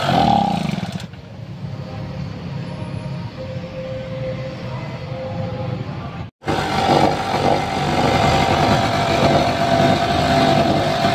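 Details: 1250 petrol generator that was hard to start, after carburetor replaced and set: small engine running steadily with an even, light beat about four times a second, no knocks or hunting; normal running.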